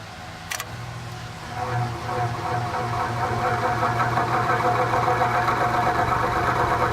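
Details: Vintage Penncrest (Lakewood) box fan, 60 Hz motor, lubricated with Zoom Spout: steady hum with faint even rattle about four times a second; rear thrust washer fault, noise quieter but persisting, changes with fan tilt.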